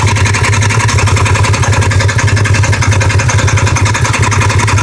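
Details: 2015 Polaris RZR XP1K idling: hard, regular knock about three a second over a deep rumble from the right side; began on starts after sitting a day or two, now on every start and when warm, coming and going.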